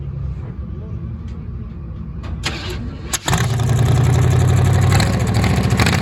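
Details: 1935 Chevrolet school bus rat rod, first start after sitting, just refuelled with a hot battery fitted: a few seconds of cranking, then it catches at once into a deep, even rumble with some revving; healthy cold start.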